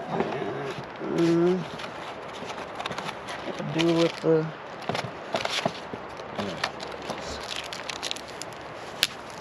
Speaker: Now, not only does it beep every time you lock it and unlock it, it beeps on touch.